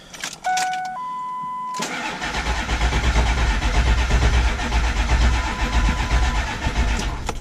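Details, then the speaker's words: 7.3 diesel truck run out of fuel, after refueling: chimes, then slow, laboring crank about two turns a second that never catches, batteries fading; crank no start from air in fuel system. "got nothing all right so took off the the fuel bowl Cap and it was all full of air and then we primed the system a couple times and it filled up"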